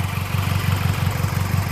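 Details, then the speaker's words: Engine with a broken intake manifold clip zip-tied down: a steady, even low idle pulse with no stumble or cutting out; the engine sounds healthy. "so far looks like it works it didn't lift up or anything so yeah kind of run a mint to it sounds good"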